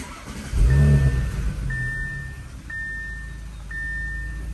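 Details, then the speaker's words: 2018 Audi B9 S5 started right after a CTS Turbo transmission mount install: brief crank, then catches and settles into smooth steady idle under a repeating dash chime; sounds good, normal start. "Everything sounds good. Obviously there would be no check engine light or anything like that"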